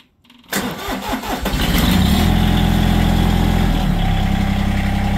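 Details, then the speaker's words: Diesel tractor warm start, mid throttle, brief glow-plug pulse, seat switch up: a click, then it catches almost at once and settles into a steady, even idle. Normal warm start and idle. "it's a warm starts it should start right up basically but uh we'll give it a little puls of glow plug"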